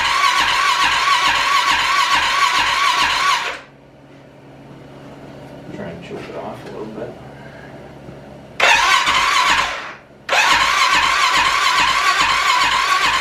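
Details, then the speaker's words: Arctic Cat 650 H1 ATV after an engine rebuild, first start attempt with fuel in the tank: two bursts of even, quick starter cranking that never catches, no spark; ignition coil replaced without effect, cause was a bad flywheel giving no signal to the ignition module. "it will crank but not uh we got fuel in the car there so that's good"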